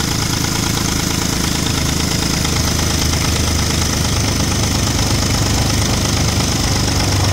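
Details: Audi 3.2 V6 at idle with ~20 codes incl. crank/cam correlation: rapid, uneven steady ticking knock, a few per second; owner suspects timing chains, unconfirmed.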